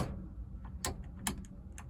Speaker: That is wired incorrectly because that's in the on position now. I switch ignition on, hear nothing. Flick the switch to the off position. You can hear the relay